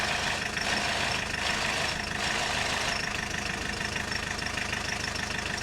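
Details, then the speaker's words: Audi 80 diesel idling with the clutch pedal released: loud, busy metallic rattle that goes away when the pedal is pressed or pumped; clutch throwout bearing suspected, after the clutch master cylinder was found faulty. "Although it can come back the next time I press the pedal And that should be the clutch throwout bearing making that noise"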